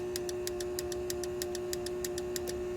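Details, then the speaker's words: 1998 C5 Corvette after hazard switch replacement, turn signals: crisp clicks about six per second, roughly double normal flash speed, over a faint hum; front bulbs not lighting, missing or burnt bulbs suspected. "no idea what that noise is but here we go going super fast it's working in the"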